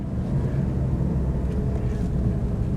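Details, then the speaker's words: Low-mileage Mitsubishi Shogun Pinin with new clutch driving at road speed on a warm day; heavy low drone rumbling under the car over wind, suspected very loud wheel bearing, owner hopes not the diff; unconfirmed. "oh wow can you hear that of course you can hear that's definite that I would say is a very loud wheel bearing very loud"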